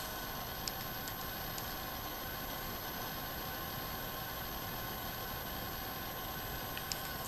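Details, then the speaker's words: Sans Digital MobileRAID MR2UT+B drive enclosure cooling fan: a steady, rough whirring with a gritty grinding edge that sounds like the fan is dying, smoothing out somewhat as it runs. "so it you know it sounds like the fans dying so that's a little bit disappointing"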